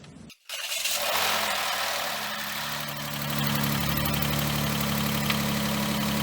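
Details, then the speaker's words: 2013 Chrysler Town & Country after water ingestion (suspected hydrolock), first start after repair: short crank, then catches and settles into an even, steady idle without knocking or misses; oil pressure and everything sound good. "okay I can live with that that oil pressure and everything sounds good"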